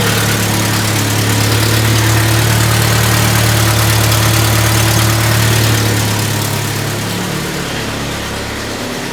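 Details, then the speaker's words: 1997 Jeep Wrangler 2.5L at idle, before cat-back exhaust install: steady idle with a sharp puffing tick about four a second in time with firing, leak at the exhaust donut gasket; exhaust manifold gasket leak. "okay got a pretty good exhaust leak coming from coming from the doughnut down there"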